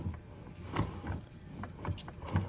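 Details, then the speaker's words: Mazdaspeed Miata rear differential on the bench after another shop's rebuild, leaking: flange turned slowly by hand gives rough, gritty grinding with uneven clunks as ring gear meshes with pinion; differential gear mesh grind. "You can hear that gear inside there, that ring gear meshing with that pinion. It's not good. Right there is that grind."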